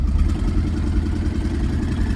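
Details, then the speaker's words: Budget twin-turbo OBS Chevrolet Silverado on a test run, not overheating, oil possibly blowing from the valve cover: deep uneven drone under load with loose clatter and no clean pulse; running rough, owner suspects a lost turbo. "definitely not happy it's not getting too hot though that's all it matters it sounds to me like we either got a turbo out"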